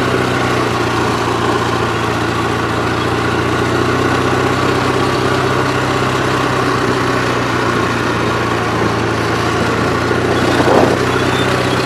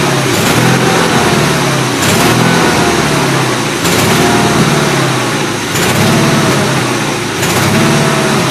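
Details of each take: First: Gravely 8163-T twin-cylinder tractor after a fuel filter change: even, steady drone holding constant speed on the governor with no surging or misfire; it runs healthy. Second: Gravely 8163-T below half throttle: engine speed rises and sags about every second and a half, regular hunting surge; carburetor suspected, running a bit rich, needs carb adjustment; not confirmed.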